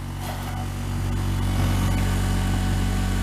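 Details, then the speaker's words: Diamond disc grinder after repair (bolts and screws Loctited), on a table, run from a Variac at about 70 volts: low steady hum with faint table buzz from vibration; normal running. "Okay, let's turn it on. It's going to vibrate a little bit across the table."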